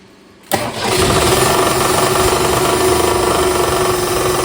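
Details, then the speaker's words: 1962 Ford Falcon with a freshly swapped replacement engine: cranks and catches, then a hollow, tinny knock about four times a second on idle, louder as the engine rotates; suspected something hitting the oil pan, flywheel checked fine apart from a hairline crack. "So, this engine's I mean, you heard the knocking sound, but it's very tingy and echoey. So, it sounds like it's something hitting the oil pan because it gets louder as the uh engine rotates."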